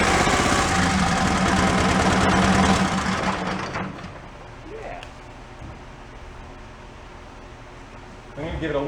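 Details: John Deere 318 garden tractor, broken down and hard starting: rapid even chuffing for about three seconds on starting fluid, then dies; fuel delivery fault, weak fuel pump pulse suspected.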